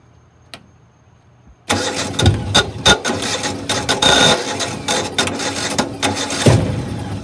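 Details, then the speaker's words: Older Generac (Centurion) 8.5 kW natural-gas backup generator, about 15 years old with regular oil and plug maintenance, on manual start: starter churns with uneven chuffs but the engine never runs. Cranks, no start. "finally got to a place where it won't start i'll do a quick switch of the manual start and you'll hear what it's doing"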